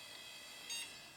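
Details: Old AMD thrift-store PC with a second hard drive, running Red Hat Linux from 2003: thin high-pitched whine with a louder shriek on spin-up; hard drive screeching as it powers on.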